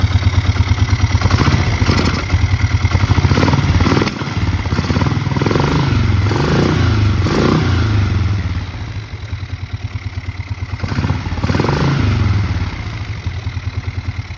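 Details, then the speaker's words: 2002 Bombardier Quest 650 that ran rough and wouldn't idle: the single-cylinder note rises and falls with throttle blips, firing steadily. The cause was a defective pulse pump diaphragm, fixed with a new pulse pump, petcock and carburetor. "And squeezed that line, and miraculously the motor started running smooth, and that was the problem."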